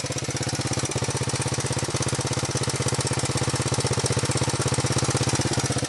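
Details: 125 XLS single-cylinder engine with an even beat of about three pulses a second and a sharp ticking edge on each stroke; abnormal engine noise, cause unclear.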